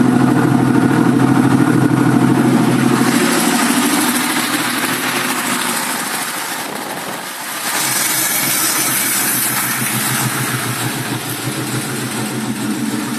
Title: 1965 mustang 2150 carb rough idle